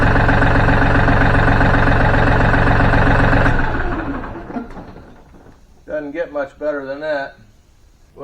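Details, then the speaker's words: Yanmar diesel after fuel injection pump repair, with air bled out at the cracked injector lines: steady, even diesel clatter at constant speed before winding down, smooth with no misfire or knock; normal running. "We've ran it a couple of times to help get the air out it's a little bit hard to start until you get all the air out of it we've got all the air out of it now and I'm going to let you listen to it and see how nice and smooth it is"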